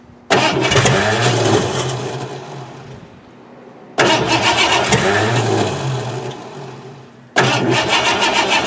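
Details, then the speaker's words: 1988 Ford Crown Victoria, sat about 5 years, old fuel replaced, distributor cap cleaned: three long even cranking bursts, never firing; failed compression test, gas in oil, oil in coolant; crank no start, engine junk. "after about 6 hours of trying to get this car running the motor is garbage I did a compression test the car failed"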